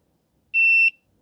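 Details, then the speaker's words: Husqvarna 150BT backpack blower that won't shut off, meter on stop-switch wire while barely flexing it near the handle: one sharp high beep about a third of a second; intermittent continuity from copper broken inside the insulation. "The copper is broken inside the insulation."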